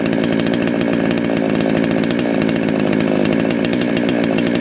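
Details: Salem Master chainsaw, carb readjusted about half a turn counterclockwise after deliberate misadjustment: crisp, steady buzz without bogging or four-stroking; normal running.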